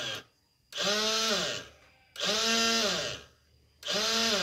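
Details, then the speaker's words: 2005 Yamaha Jupiter Z motorcycle: three short bursts of high electric whir winding up and dropping with no engine turnover. The starter motor spins without engaging; the left-side starter gear area is to be inspected. "Nah, seperti itu teman-teman, ketika dipencet tombol elektrik starternya hanya bunyi putaran saja."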